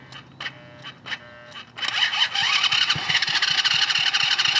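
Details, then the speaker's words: $200 three-speed off-road go-kart engine, spark plug threads recut with a die to fit an odd thread, overlong plug: a few weak pulls, then a harsh rattling run with sharp metallic knocks about four a second as the valves hit the plug; valves possibly bent. "I think it hit the spark plug really oh yikes dang dude yeah she hit"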